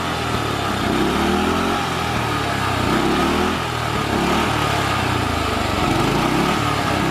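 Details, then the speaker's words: Murray lawnmower with a loud small engine whose beat wavers and sags, dying a little each time the throttle is released; carburetor misadjustment. "Hear it there, the engine dying a little bit when letting off the gas. Some adjustments in the carburetor got it running much better."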